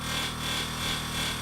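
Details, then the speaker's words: Toyota Hilux air suspension compressor running: steady motor hum with constant dry scraping as the added cooling fan blade catches on its surround. "And the fan which I've put in to cool the compressor, which is catching on the surround at the moment."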